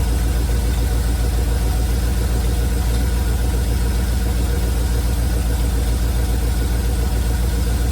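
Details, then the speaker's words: 1971 Chevrolet C40 truck at idle after carb cleaning and idle mixture adjustment: deep, rough idle with steady low knock about three to four beats a second; blow-by minimal, knock attributed to the truck's shot exhaust. "The blow-by is minimal. The exhaust is shot on this truck, and that's the knock you're hearing."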